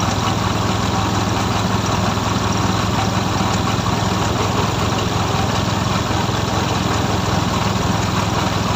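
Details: F6A three-cylinder engine: steady, even idle with no misses or knocks, holding constant speed; healthy idle.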